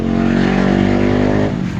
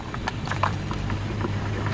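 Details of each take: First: Centrix PF20 stand fan after front bushing replacement (previously slow to start and humming), speed 1: steady even motor hum at constant low pitch, no grinding or labouring; runs smoothly with full strength restored. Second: Centrix PF20 stand fan, slow to start and noisy: low motor hum with a few small irregular knocks as the fan head is rocked up and down (none side to side), suggesting worn front or rear motor bushing.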